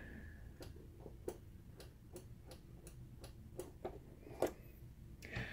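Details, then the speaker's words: Cover interlock micro switch in a DLP projector, pressed by the door tab. Loud, crisp single clicks, a bit under one a second and uneven; the switch actuates properly, and without it the projector thinks the door is off. "this one's pretty loud and without that switch-hit it's gonna think the doors off"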